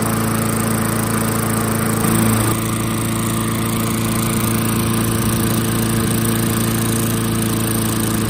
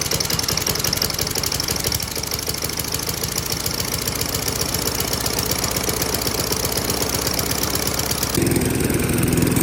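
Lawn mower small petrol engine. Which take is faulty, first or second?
second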